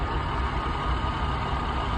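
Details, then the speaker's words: 1997 Jaguar XJ6 4.0 petrol straight-six after no-crank fix (new battery, 10A fuse no. 8 replaced): steady, even low rumble at idle with no misses, knocks or ticks; normal idle. "And it starts, and there is no like fuel relay problems or fuse. All that was fine, and that fuse was nothing to do with the actual like fuel and anything else."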